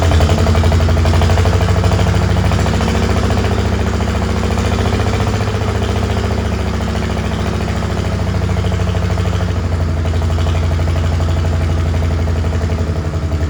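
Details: Old Farmall H four-cylinder gasoline tractor, freshly revived with new oil, cleaned oil-bath air cleaner, battery and gas, idles with a lumpy, uneven beat and dips. It shows blowby and is suspected to be misfiring and down on power.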